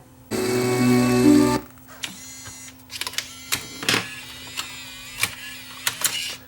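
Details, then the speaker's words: Bose Wave Music System 3-disc CD changer after replacing a bad linear slide switch that caused jamming: motor whirs with scattered clicks as it cycles modes and loads discs without jamming; normal operation. "I think now it'll go through the modes in here and load the disc."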